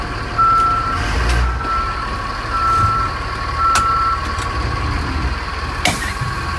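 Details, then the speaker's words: Backup alarm on a 2007 Thomas-built Freightliner FS65 bus with Mercedes-Benz MBE900 diesel, hydraulic brakes, air suspension and air parking brake: a clear mid-pitched beep about once a second over diesel idle, sounding different from their C2 buses; normal alarm. "i do like the backup alarm that this one has though it sounds different than the ones that are on our c2"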